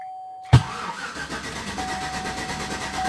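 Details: 2011–2012 Chevrolet Silverado brought in on a tow truck: starter cranks at a steady, even rhythm for about three seconds and the engine never catches; crank, no start, ECM code 1682 ignition switch circuit 1 found afterward.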